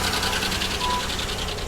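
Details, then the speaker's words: GM 3400/3100 V6 at a salvage auction, at idle: fast, even ticking knock of about six beats a second; owner first doubts lifters, suspects a blown lower plenum gasket and possible water in the oil. "that doesn't sound like a lifter not at all actually that does sound like lifters that almost sounds like this car maybe has the blown lower plenum gasket"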